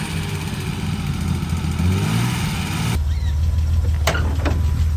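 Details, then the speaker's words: BMW E30 starting right up after a new battery replaced the dead one; a broken part is temporarily taped and a hole there would upset the air sensor. It catches quickly and settles into an even, low idle with no stumbling or knocking: a normal start and idle. "But other than that, the car starts right up. That's crazy. Start it up one more time."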